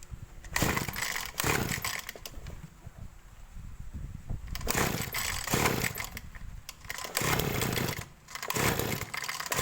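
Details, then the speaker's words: Small two-stroke engine of a sprayer, carburetor high-speed (main jet) screw adjusted: repeated sharp revs to strong clean top speed without stumbling; mixture right, not so lean it overheats while spraying. "menurut saya ini di RPM atasnya itu sudah cukup ya teman-teman Jadi enggak usah terlalu teriak"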